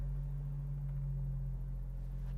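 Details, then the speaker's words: 1994 Jeep YJ inline-six after a head gasket job, new thermostat and coolant refill; it ran rough earlier. Now a steady, even low rumble with no misses, knocks or ticks. The six runs smooth and strong, healthy. "sounds like my old jeep the good old inline six"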